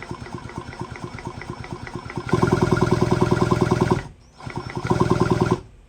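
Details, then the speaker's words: Stihl 034 AV chainsaw during rebuild, crank turned over on bench: quick even ticking about three per second, no grinding or anything out of place; sounds healthy. "like it. Sounds healthy. Doesn't sound like there's any grinding going on, anything out of place."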